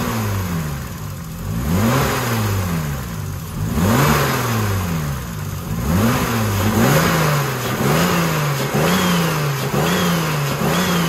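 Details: BMW E36 turbo after alternator refurbishment and timing tensioner replacement, purged by throttle blips: revs climb and drop cleanly with no rattle standing out; engine sounds healthy now.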